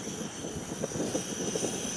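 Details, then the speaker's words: MSR WhisperLite backpacking stove priming after the valve is cracked open; steady hissing roar with slight flutter and a small flame not yet cleared, normal warm-up, stove being cold-blooded today. "you might get a little flame like this that's just it warming up you're almost there once that clears"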